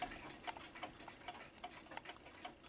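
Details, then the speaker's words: New Haven clock, not yet cleaned, running a little out of beat because of its placement: faint ticks at uneven spacing, a limping tick-tock rather than an even beat, likely to end up stopping. "This one doesn't really want to run anymore because of where it's placed at, and because of that, it's a little bit offbeat."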